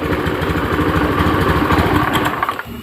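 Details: Honda Beat FI fuel-injected scooter after the no-ignition fault was repaired and connectors refitted: single cylinder catches and settles into a quick, steady, evenly firing putter, then shuts down; normal start and idle.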